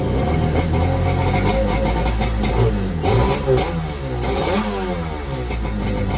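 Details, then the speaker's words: Xi 750 jet ski with an SS 650 two-stroke engine swap, first start after rewiring with fresh fuel and hand choke: fires up and settles into an even, fairly quiet run with steady revs and no knocks; normal running. "that sounds good quiet that's good yes"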